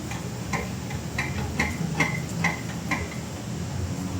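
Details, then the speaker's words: Ford Everest front wheel with strong play, rocked side to side by hand: sharp metallic clicks about two per second; owner also hears noise driving over humps; tie rod, ball joint and bearing checked without finding the source. "Aba, malakas yung ugang ng gulong at meron siyang umiingay pag ginagalaw ko itong gulong ng pakaliwa pakanan. Kumbaga inuuga ko siya, may maingay."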